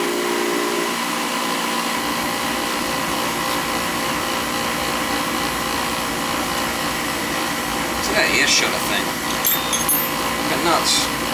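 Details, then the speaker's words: Old oil-fired boiler burner running during service: steady roar with humming drone and some rattly clatter near the end; noisier than it should be; the air shutter is suspected as the noise source and is to be removed. "I'll show you what it looks like when I get it out noisy it's always an issue with those things"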